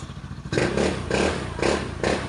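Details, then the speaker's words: Honda Scoopy scooter after engine blew from running out of oil, rebuilt with new crankshaft and new 55mm MTK block: short even blips about twice a second, no knock or rattle; quiet, runs clean. "Yan, andar na mga idol. Tahimik na yung makina, napapatangin na yung mayari. Yan, okay na mga lods."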